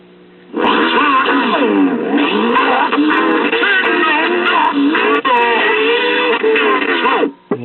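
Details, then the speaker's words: 1964 Columbia Masterwork portable record player, single-tube amplifier driven by a 3V crystal cartridge; motor seized, humming, turned all the way up after warm-up: thin, tinny music keeps skipping like crazy, but it produces some output, before repair. "skipping like crazy, but it is producing some output."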